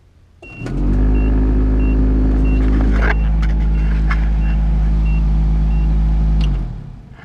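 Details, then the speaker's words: Nissan D21 pickup heater blower with AC on, cowl trim missing: blower spins up to a loud, rough, fluttery roar with rattles, then winds down; leaves and acorn debris likely in the squirrel cage. "So this heater blower, squirrel cage or whatever, has probably got leaves and debris in it."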